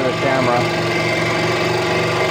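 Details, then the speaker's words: Central Machinery 16" scroll saw at about half speed cutting wood: steady buzzing hum with a rough, strained edge as the wood is pushed hard through the blade; cut laboured, blade to be changed. "yeah I think you get the idea of how hard I had to push the wood through the blade"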